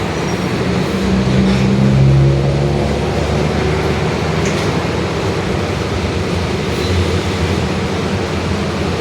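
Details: 2021 Marcopolo Torino S urban bus on Mercedes-Benz OF-1721 Bluetec 5 chassis, extended, driving: steady low growling drone under road and body noise, following road speed. Differential whine, worn rear differential.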